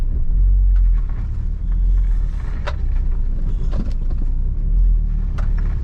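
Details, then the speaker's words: Volvo V70 P2 driving over bumps: heavy road rumble with dull, irregular front thuds that have got worse, plus wheel shake persisting after suspension work and alignment. Front suspension knock; the owner suspects worn subframe bushes letting the subframe move. "so as you can hear it has it has got pretty bad now"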